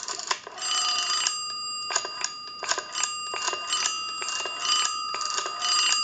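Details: Western Electric 202 rotary desk telephone with bell box, after phone repair but before bell repair; short metallic bell tings burst in with the dial's pulsing; ringer tinkles during rotary dialing.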